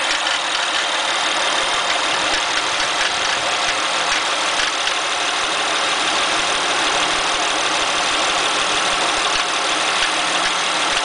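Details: Acura TL idling: a busy, uneven high-pitched chatter over the engine the whole time; a strange noise from the engine bay of unclear source.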